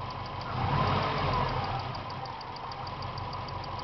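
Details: 1998 Subaru GT engine, warm, after being revved; quiet idle with a faint, steady light ticking over the engine, source unclear: engine ticking when hot.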